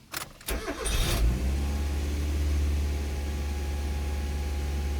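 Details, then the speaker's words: Mazda 323F cold start in neutral after refitting the air box while chasing a racing idle; engine catches and settles to a steady, fast idle with no dip, a little lower than before; base idle reset possibly done incorrectly; high cold idle. "it's a little bit lower no we'll see how that does"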